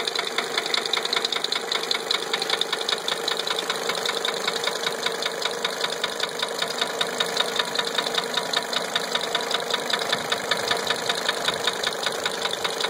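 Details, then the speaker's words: 1980 Mercedes 300SD diesel at idle after a valve adjustment: sharp steady knock about two and a half per second over the idle, unchanged by the adjustment; persistent internal engine knock, cause still unknown. "Well, valves are adjusted, same noise."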